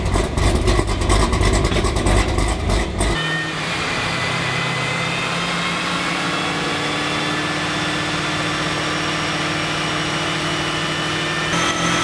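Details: ZL1 Camaro V8 after replacing a bad mass airflow sensor that had fouled the spark plugs by running too rich: a loud burst, then a smooth, even idle with a deep steady drone and no ticking or puffing. Normal exhaust note.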